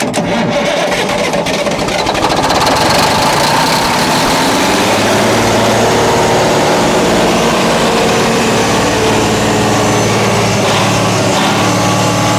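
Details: 1981 GMC cabover with Big Cam diesel, pulled from the bushes: cranks briefly, catches and settles into a steady, even diesel clatter with no misses after a loose wire to the pump was reconnected; running healthy.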